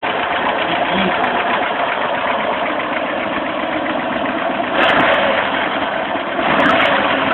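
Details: VAZ 2109 engine at idle; fast, uneven tapping about four times a second over a busy idle, source not pinned down: engine knock.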